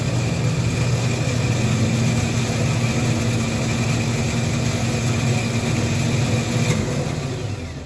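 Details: Ford F150 pickup that had starter solenoid clicking; starter tested good, now steady, strong spinning hum with an even whirr and no clicking or dragging; owner suggests checking flywheel and starter teeth for slipping. Normal starter spin.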